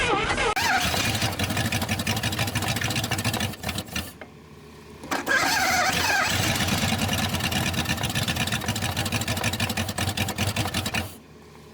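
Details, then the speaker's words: 1962 Dodge 100 truck, first start in 25 years, idle raised, broken throttle return spring: rough, loud engine with busy mechanical clatter, not rod knock; owner guesses pushrod off from stuck valve; later found stuck lifter. "lot of noise, but I'm not sure what kind of noise it is. It don't sound like a rod or nothing. As I guess it's got a push rod bender off from a stuck valve."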